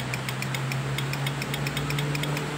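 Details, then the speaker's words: Yamaha Mio Soul that starts on the centre stand but often only clicks on the side stand: battery terminals checked tight and held firmly, yet rapid even clicking about seven a second over a faint hum, no cranking. Owner suspects a poor battery-to-engine ground cable. "Ini biasanya masa aki ke mesin kurang teman-teman. Yang dinamonya ini kabel masa aki ke mesin tuh biasanya kurang."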